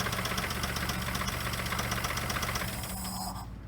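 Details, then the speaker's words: Geo Metro engine running with oil of almost no viscosity; sharp regular knock about four per second over rough idle before shutdown; rod knock suspected, possibly caused by thin oil. Engine knock, not confirmed. "What if it wasn't rod knocking and we just ran it with no viscosity and that's why it's rod knocking?"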